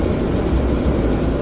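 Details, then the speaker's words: Toyota Fortuner rear AC blower makes a heavy low rumble with slight flutter; AC not cooling, and the endoscope shows dirty front and rear evaporators, blower removed for cleaning. "Datang lagi nih Mobile Legends kita dengan kondisi AC enggak dingin dan bunyi berisik di bagian kursi belakang."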